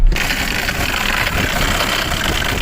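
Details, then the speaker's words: Mercedes E300 OM606 turbodiesel, started with a jump pack after the glow plug wait, barely running with an uneven, lumpy diesel clatter at idle; rough idle. "oh is it alive barely [Music] oh that doesn't sound good let's take a look"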